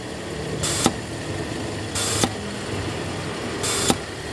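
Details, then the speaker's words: Toyota Kijang Krista carbureted engine, vacuum valve feeding the carburetor ventilator, checked after weak suction air was found: three short hissing bursts roughly every 1.5 seconds, each ending in a sharp click; vacuum valve working normally. "berarti ini tidak ada masalah dibagian vakum ini"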